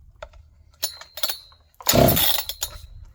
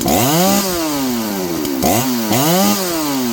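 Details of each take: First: John Deere CS 81 chainsaw, possibly flooded, first try without choke: a single rasping pull on the starter cord with scattered clinks and no firing at all; the saw isn't catching. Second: John Deere CS81 chainsaw, dull chain, after getting it running: revs climb and sag roughly every two seconds as it cuts wood, pulling cleanly without stumbling; normal running under load.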